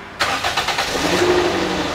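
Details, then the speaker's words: 2007 Toyota Yaris automatic, engine started after checks of oil level and leaks; uneven, lumpy idle with irregular pulses, engine sounds very rough; transmission sometimes won't engage drive or reverse; infrequent oil changes by the owner suspected, cause unconfirmed. "Waduh suara mesinnya kasar sekali"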